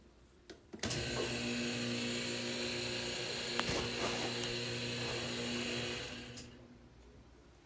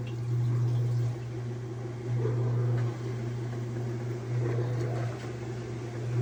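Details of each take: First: Whirlpool direct-drive washer that won't wash or spin: the motor whirs and rattles in two bursts but never drives the drum, because the motor coupling is broken and motor and transmission are disconnected. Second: Whirlpool direct-drive washer after replacing the broken motor-to-transmission coupling that had made it rattle and stop washing or spinning: steady motor hum surging in even strokes with no rattle or knock; agitating normally.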